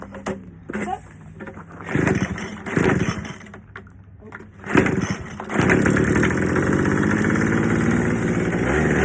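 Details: Troy-Bilt Jet Technology two-stroke blower after carb clean, new fuel lines, gas leak addressed, tune-up: few rope-pull bursts then catches into a steady even buzz; runs, though tank slop may remain.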